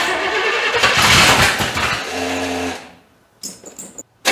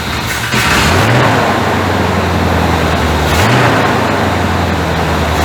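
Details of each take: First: 1985 Chevy C30 after diesel-to-gas engine swap; catches with an uneven, lumpy burst, never settles and dies within seconds, wanting more timing; distributor found installed one tooth off. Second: 1985 Chevrolet C30 diesel-to-gas swap, cold start on fast idle. Fires after a second of cranking and settles into a steady, even fast idle with a smooth, unbroken rumble and no smoke from the exhaust.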